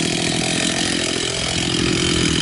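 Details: Profi two-stroke trimmer after carburetor cleaning, idle adjusted: steady buzzing that climbs slightly in pitch, smooth and even with no misses; idle speed raised, running cleanly.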